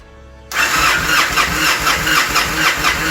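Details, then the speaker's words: 2007 Victory Vegas motorcycle, high mileage, after fuel pump replacement, battery back in: silence, then engine catches at once and settles into steady even idle, no stumbling; healthy start. "It's alive!"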